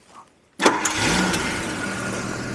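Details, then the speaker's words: Carbureted Jaguar V12, hot start after carburettor work that cured poor idle and acceleration: short crank catches at once and settles into a steady, very smooth idle with no misses or knocks; perfect emissions. "fires right up really good idle and is as smooth as can be if I had a coin we could balance it on the engine returns to a nice smooth idle"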